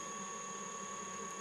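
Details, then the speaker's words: Mikini 1610L mill's new 2 hp AC inverter-duty motor on a Hitachi sensorless vector VFD turning slowly at low drive frequency: steady high electrical whine over faint hum, likely an artifact that smooths out at higher speed. "a frequency artifact I guess but uh Smooths out once you bump it up"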